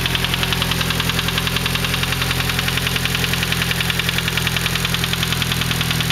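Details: Nissan SR20DET cold idle with a steady ticking knock about 3.5 per second over even engine hum; knocks only when cold, gone above about 3500 rpm; lifters and timing chain tensioner already replaced, still knocks, cause undetermined.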